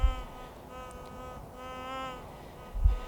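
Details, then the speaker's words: White's GMT metal detector on auto track, sweeping ground: steady threshold hum with a brief tonal rise that vanishes within 1 or 2 pumps; hot rock, not metal. "That was also hot rock, because that goes away right away."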